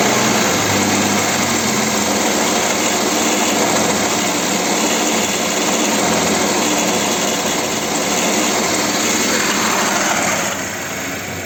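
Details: Audi Q7 3.6 FSI V6: quiet, stable idle, but revving brings a dense metallic timing-chain rattle from the rear of the engine; only lambda-sensor fault codes; teardown found broken chain guides/tensioners.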